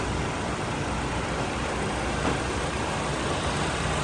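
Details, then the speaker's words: 2017 Hyundai Elantra 2.0 after swap to a low-mileage engine, warmed up about 30 minutes, AC on: steady, even idle with smooth low rumble, no knocks, ticks or misses; no leaks, no check engine light, healthy. "definitely sounds a hell of a lot better healthier engine right there"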